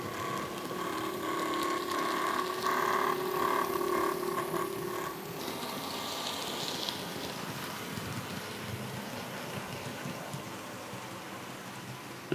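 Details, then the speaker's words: Bachmann class 47 model locomotive still grinding after full run-in: silky smooth in one direction, a rough ratcheting grind with a steady whine in the other. It eases at higher speed and is worst when slowing. Worm ends and prop shafts were already oiled. Cause unconfirmed. "it's weird in One Direction perfectly silky smooth have a listen but in the other direction very strange isn't it"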